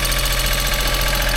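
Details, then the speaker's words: Abandoned Geo Metro convertible, three-cylinder, started after long sitting without starting fluid: even idle with light rapid chatter over the low throb; engine a little chattery, cause unclear. "he sounds good guys the Eng's a little chattery it I can't believe this it didn't need St fluid or nothing sitting here just purring like a kitten man"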